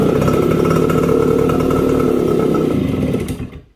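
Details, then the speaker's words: Suzuki AX100 (100cc) after disconnecting the faulty ignition-switch wire that was robbing spark: starts immediately on kick and runs with a steady, even two-stroke buzz for about three seconds before shutting off, normal. "prendió la moto prendió ahí inmediatamente prendió"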